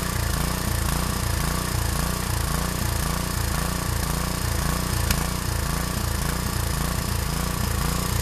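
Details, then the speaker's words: Harbor Freight 6.5 HP Honda-clone engine after new carburetor installed and misplaced gasket blocking an air hole corrected: low putter rises and falls about twice a second, hunting idle; engine surges, cause unknown. "it's all together and it does run I'll start it up it does surge a little bit I'm not quite sure why but it is running"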